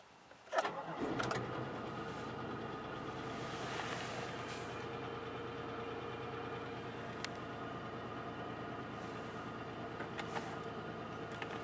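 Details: 2001 Pontiac Grand Prix GTP V6 start-up: light, quick ticking over the idle that fades after a few seconds, a sign of a failing lifter.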